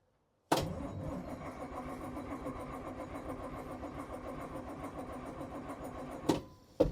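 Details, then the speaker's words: 1981 International semi diesel, abandoned and unstarted for a long time, cranks strongly and evenly about five seconds without firing; fuel in tanks and turbo hooked up, but the engine-stop lever was cutting the fuel. "She's just cranking and doesn't seem to be firing."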